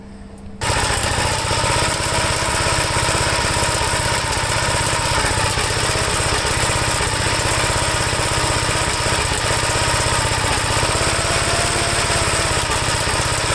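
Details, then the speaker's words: 1954 Gravely single-cylinder with governor all messed up and low oil pressure in the red: fast bark with loose metallic clatter on every beat, like a bucket of bolts; rattle source undetermined, governor unstable. "I'm hearing a lot of rattling. It sounds like a bucket of bolts here. So I got to sort out the governor and everything like that."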